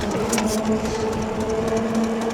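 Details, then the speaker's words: Andsky Gravita LS e-bike, 750W motor (1300W peak, 90 Nm), full throttle without pedaling, about 29 mph top speed: even whine at steady pitch over rushing tire drone; normal motor and tire hum, nothing irregular. "There is a hum from the motor. There's a hum from the tires, but this is a nice"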